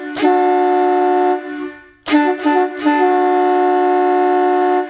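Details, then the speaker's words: Vintage USA Hadley chrome boat air horn fed by a small canister direct-drive compressor: three reedy blasts, thin and strained, middle ones choppy; 125 dB but weak from insufficient air supply, pump whirring. "Yeah, it's just not, the dB meter says 125, but it's just terrible."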